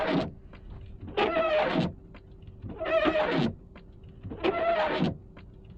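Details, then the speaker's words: Windshield wipers after restoring blades with rubber-shaving tool: squeaky juddering chatter with each wipe about every 1.5 seconds, still noisy and missing spots. "It's just noisy still."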